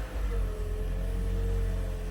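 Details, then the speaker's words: 2016 Toyota Auris hybrid, engine running just after oil and filter change: low even rumble, steady tone, no knocks or ticks, no oil pressure warning lights; normal running. "Engine sounds good. There's no oil pressure warning lights coming on in here."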